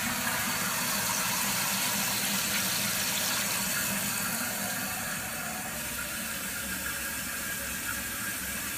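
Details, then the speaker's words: Toilet cistern after refitting the washer and reconnecting the water line beneath it, with the supply turned back on: steady rushing hiss of water refilling, easing as the level rises, with no squeal or chatter; the fill valve works normally. "And after that, you can start your water back. And you can hear it refilling up."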